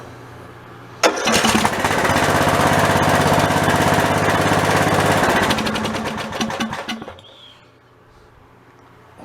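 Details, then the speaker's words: Old OHV Briggs single-cylinder engine on a White LT1300 mower starts and runs loud and rattly for about six seconds, then dies; rattling from loose baffles inside a worn-out muffler. "I guess probably you can hear a bunch of rattling noise here in the video, but the old muffler's pretty well spent on that thing. I'm not sure what I'm going to do with it. The baffles are all loose inside the muffler."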